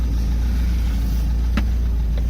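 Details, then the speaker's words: Boat engine warming up on a water hose in neutral after a no-choke start, idling a little lower: low, steady, even burble with no knocks or misses; running good, normal idle. "this isn't bad it's running good"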